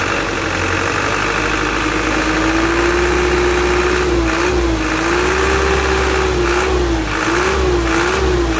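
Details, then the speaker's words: Isuzu Elf Blue Sky diesel truck, tuned: smooth revving with steady slightly gravelly note rising and falling evenly with throttle; normal revving. "seperti ini untuk suaranya Cemara qqqq itu dari suara streng ya dari suara seraknya vanbell seperti itu"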